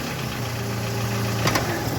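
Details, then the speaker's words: Engine idling, then a sharp double knock as the note dips under steering load: power steering pressure pipe hitting its bracket at full steering lock; securing the pipe stops the noise. "colocando aqui pegando suporte cano da direção hidráulica de pressão quando chega final de curso e faz um barulho"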